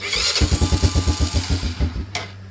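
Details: Honda Fourtrax 300 ATV that sat four to five years, with a new battery: the engine catches with uneven firing pulses for about two seconds, then dies and won't stay running. A dirty carburetor is suspected, not confirmed. Starts then stalls.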